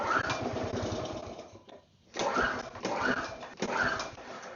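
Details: Small engine left outside uncovered, pull-started several times after setting the manual choke lever. It gives a brief sputter but never catches; cranks but won't start. The owner suspects a bad coil and plans a new spark plug.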